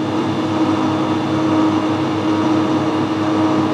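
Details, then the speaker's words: Drill-chuck-held parallel-shank hand reamer turning forward at 60 RPM in a lathe, gently fed in and starting to cut: steady, even hum with a faint constant tone, no chatter or squeal; normal reaming, leaving a small amount of swarf. "So we've got this down to 60 RPM, that should be alright. Gently feed it in. You hear it starting to cut"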